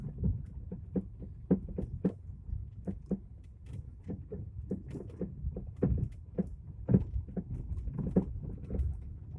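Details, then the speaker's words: Lada Vesta, 152,000 km: irregular dull low thuds, several per second, following the rough road surface while driving deliberately over a bad road; severe front-suspension knock, cause unclear. "Специально еду по плохой дороге, чтобы было сильнее слышно. Но это капец, конечно."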